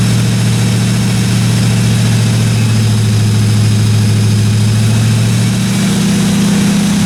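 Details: 1957 Chevy 210 project car at idle during its first-run camshaft break-in of about 20 minutes: steady, smooth low rumble with no top-end ticking or knocking; valve train sounded good, no weird noises, normal idle.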